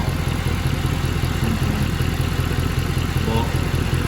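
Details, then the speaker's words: Mercedes C63 AMG (W204, M156 V8) started after sitting about four weeks, engine light on, no smoke: deep idle with regular low puffing pulse; exhaust manifold blowing, suspected. "definitely blowing yeah you can hear it got you again be mounted the exhaust manifold blowing"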